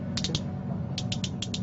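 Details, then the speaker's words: Lewmar Ocean winch pawl gear after greasing the pawls and springs on reassembly: about eight crisp, light clicks in two quick bursts as it is turned by hand; pawls and springs working properly. "so it sounds pretty good it's clicking into uh place that sounds like both pools and springs are operating correctly there so that's ready to plug that into the winch"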